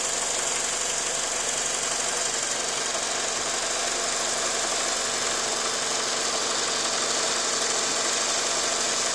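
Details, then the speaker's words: 2000 Ford Focus with a vibration complaint and a code read at AutoZone, after its mass airflow sensor was cleaned. It idles steadily with a faint, fairly regular light tapping or knocking, about three per second, somewhere down in the engine; source unclear. "I don't know if you can hear his pass almost sounds like a tapping or a little knocking down in there somewhere"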